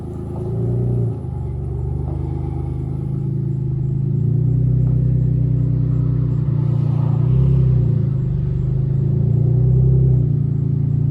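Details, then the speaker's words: 1994 Dodge Stealth R/T twin turbo (3000GT VR4) running: deep lumpy rumble with uneven low pulse under idle, rough blatty note of an exhaust leak; oil leak underneath also noted. "i also got an exhaust leg it sounds horrible but yeah"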